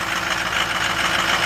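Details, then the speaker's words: 2007 Ford F250 6.0 diesel cold start after the glow plugs heat, with a little smoke. Even, steady cold-idle clatter with no knocks or misses sounds healthy for how cold it is. "a little bit of smoke blew out not too bad - that sounds pretty good for as cold as she is"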